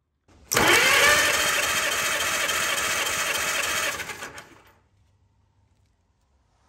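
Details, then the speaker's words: 1944 Allis Chalmers B tractor, sat many years, starter repaired (broken drive gear pieces replaced), cold, spark plugs out for compression test: quick even whirring crank about 3.5 turns a second for three seconds; normal cranking. "put it back together and it spun the engine fine just like it did here with the compression test with all the spark plugs out"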